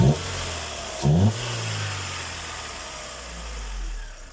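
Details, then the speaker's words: Opel Corsa B with faulty non-OEM idle valve, outside at unstable surging idle: low rattle from the gearbox that disappears when the clutch is pressed, consistent with worn gearbox bearings. "That rattling sound you're hearing is coming from the gearbox. If I step on a clutch and that rattling is gone."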